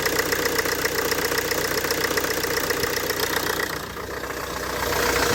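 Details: Mk2 Ford Focus idling after drive belt and failed tensioner replacement; steady, even idle with soft regular patter, no belt squeal or chirp; battery light still on afterward. Normal idle.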